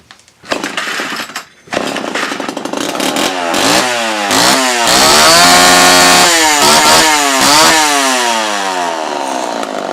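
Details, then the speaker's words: Homelite Super XL chainsaw after repair, including a damaged reed valve that let compression force fuel back out of the carb into the tank: clean two-stroke revs climb and drop smoothly through throttle pulls without stumbling; running great, carb may get slight fine-tuning. "So Bob, as you can see, this thing is running pretty darn good. I'll probably fine-tune the carb just a tiny bit more, just to make sure everything's nice and running clean."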